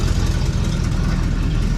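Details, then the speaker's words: 1973 Chevrolet Chevelle Malibu V8 idling just after a new electric fuel pump was fitted: deep, lumpy idle with a loose, chuffing rumble at the tail; a hole in the muffler is leaking exhaust. "got a hole in the mufflator over here got a pretty decent exhaust leak"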